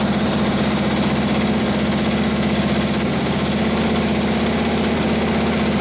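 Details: Freshly assembled Harley WL 45ci flathead V-twin bobber idles while warming up; a loping beat of about three per second stays steady and even with a clean exhaust note through the muffler, healthy.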